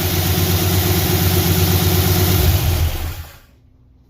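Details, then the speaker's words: V8 first start after reassembly to chase a strange noise that began on a drive home, heard from inside cab: rough, lumpy uneven run before shutdown; clearly wrong, cause unknown, engine replacement considered. "that did not sound good at all, guys. Even in there, I don't know how it sounded outside of the cab, but inside the cab it didn't sound good."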